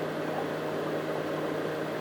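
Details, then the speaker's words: Gin still (alembic) running during distillation of strawberry gin, self-cooling via internal reservoir with heat exchanger/radiator: steady bubbling hiss with low even hum, no knocks or surges; normal running with cooling water gurgling. "Sentite che c'è dell'acqua che gorgoglia perché questo alambicco riesce a raffreddare autonomamente grazie a una caldaia che è all'interno,"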